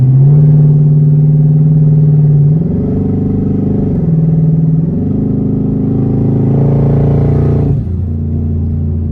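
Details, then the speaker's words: 2017 Mustang twin-turbo on3 kit with dumps, driving and pulling: deep smooth engine note climbs and eases without stumbles or rattles; shifts fine, fuel trims good, owner happy with the sound. Normal acceleration. "personally I think it sounds pretty good and you know I couldn't be happier with it honestly"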